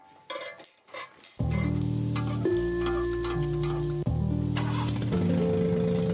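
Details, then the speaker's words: 1990 JDM Suzuki Carry 4WD kei truck, carbureted, after a timing belt and water pump job, fitted with a WR250 exhaust: catches at once and settles into a loud, deep booming idle from the free-flowing aftermarket exhaust. "let's start off real quick so you can kind of get an idea how loud it is"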